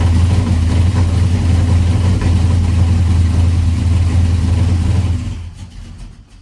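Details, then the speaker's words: 1985 Chevy C10 cammed small-block V8, ACES EFI first start after tuning changes (value bumped to 25, idle ignition timing 15): lumpy, uneven beat on throttle that sags and dies when released; still won't idle, running rich. "still doesn't want to idle."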